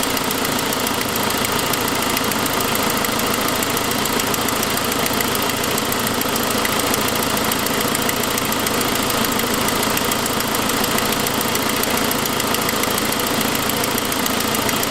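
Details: 2006 Saab 9-5, noise that followed an earlier louder turbo noise: sharp, quick ticking at about three to four per second over a steady idle, caused by an exhaust leak from a broken forwardmost exhaust manifold stud, not lifters.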